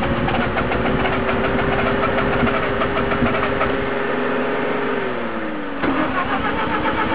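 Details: Mazda RX-7 FC rotary swapped into another car, hard start: long steady cranking with an even drone sagging near the end, no clean pickup to idle; not flooded, thermo sensor fine, engine ran fine before swap.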